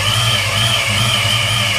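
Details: 1993 Mustang Cobra V8 idling with a just-installed used Vortech V1 S-trim supercharger: constant high-pitched whine with a harsh edge; owner suspects bad blower bearings, not confirmed.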